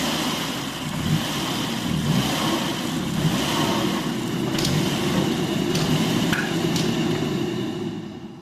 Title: Volvo S60 surging idle and misfire (loose throttle body)